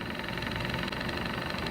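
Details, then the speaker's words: Old two-cylinder alcohol-burner-heated Stirling engine, cleaned and bearings oiled after showing resistance: fast, even whirring patter with steady rhythm, no catching or rubbing, speeding up as it heats; running smoothly. "no just beginning this is gonna get faster I see it slowly speeding up first phone imagine how hot it's getting boy gets hot"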